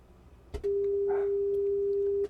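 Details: Harman Kardon PM665 amplifier under troubleshooting, signal tracer at a transistor emitter while chasing low gain in Q602: clean, steady mid-pitched tone holds firmly under two seconds; signal at this emitter is normal.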